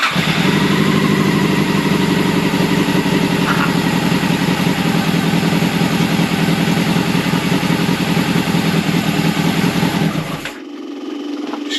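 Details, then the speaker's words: Old Honda CBR600 track bike, long unused, carburetted, on choke: fast uneven choke idle runs about ten seconds then dies when throttle opened; stalling, gummed-up carbs suspected, need cleaning. "hey as soon as I pull the throttle it's dying so the carbs are gonna have to come out it's gonna be clean but it runs now"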